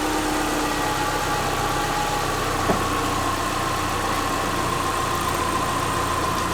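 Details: Subaru Forester with freshly reinstalled EJ25 flat-four, valves not adjusted, warming up around 114–120 coolant, learning idle: steady, even low hum, no knocks or misses; normal warm-up idle.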